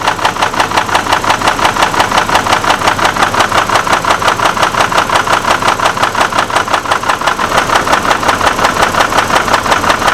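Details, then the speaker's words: Hummer H3 with suspected rod bearing problem, warm idle: sharp steady knock about three times a second, heard at the top of the engine rather than the bottom end; cause unconfirmed. "what's interesting guys is that sounds like it's on the top of the engine and it sounds like it's coming from right here it definitely does not sound like a bottom ends issue"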